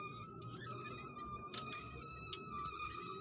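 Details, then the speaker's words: 1985 Chevrolet Caprice with the rear wheel raised, driveshaft turned by hand in the forward direction where it enters the transmission tailshaft: a steady high singing squeak with faint ticks, quiet in reverse; owner suspects a seal or bearing, unconfirmed. "Поет или скрипит. Что это? Сальник или какой-то подшипник."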